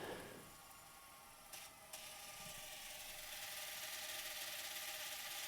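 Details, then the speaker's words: Thomson VTH6400F VCR after cleaning, tape reaching its end: even whirring with a thin steady tone and two light clicks as the reel stops; ordinary end-of-tape transport noise, considered normal. "c'est la cassette qui fait du bruit c'est d'arriver à la fin bon on va dire c'est normal"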